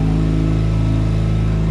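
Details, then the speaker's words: Mazda RX-7 FD turbo rotary with newly installed engine and fresh fuel, first start: smooth, even rotary hum with steady low firing pulse and no knocks or rattles; healthy engine running cleanly. "Moment of truth. Hey! oh boy. Sounds healthy, man."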